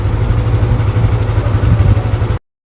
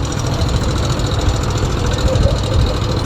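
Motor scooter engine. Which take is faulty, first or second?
second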